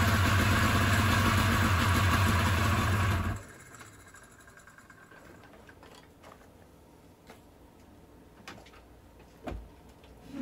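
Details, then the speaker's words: 1987-1989 Ski-Doo Safari 377 two-stroke, rebuilt motor with about 90 psi compression, gas tank not connected, run on ether and fuel left in the line: rough idle about three seconds then dies as fuel runs out. "spraying some ether in and there you go it was idling for a little bit i just had some fuel in the fuel line"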